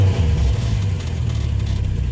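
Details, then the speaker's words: Classic Dodge after alternator and voltage regulator replacement, original belt reused, gauges rising: deep, even low rumble with steady firing rhythm, no knocks or misses; normal idle. "Yeah, regulators changed. The car is running correctly."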